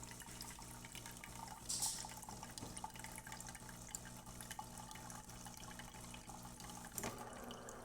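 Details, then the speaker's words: DeLonghi Eletta Explore espresso machine after shop service, including brew-unit micro switch work, during the startup rinse after the brew unit returns home: quiet pump hum, water trickling through the spout, a soft click or two; working normally. "Now it's going to retract back in the home position. It's going to start rinsing. Looking good."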